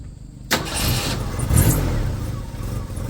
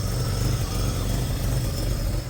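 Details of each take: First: 1st-gen Ford Ranger four-cylinder, very high mileage, too-big camshaft, exhaust leak, just lowered on DJM beams: catches, revs, settles into uneven loping idle with exhaust puffing; lumpy idle from oversized cam. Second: First-gen Ford Ranger four-cylinder, very high mileage (owner jokes a million miles), cam too big for it, idling: a lumpy, loping idle that otherwise runs steadily, with a known exhaust leak ticking along. Described as normal.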